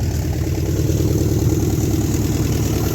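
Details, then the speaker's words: 1972 Chevy Nova 307 V8 with TH350, first start after 35 years (points sanded, carburetor kit), loud lumpy idle with uneven chuffing, clatter and a skip; likely many exhaust leaks, owner suspects a flat cam lobe. "oh it's skipping it got a little skip in there"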